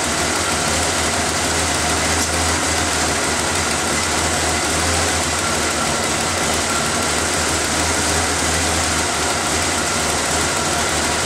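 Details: After refitting the intake's vacuum lines, air filter and cover, the engine is started to listen for hissing air leaks: even, steady idle with a smooth low rumble and no hiss, ticking or stumble. It runs healthy.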